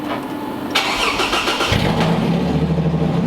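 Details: 2008 Toyota Hilux TRD 1GR-FE V6 during supercharger build, headers only with no exhaust and rear oxygen sensors out: cranks, fires quickly, settles into loud, raw but even idle; starts and runs fine.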